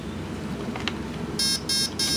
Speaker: see three beeps means the third option